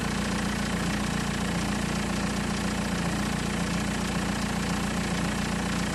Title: is it timing chain rattle?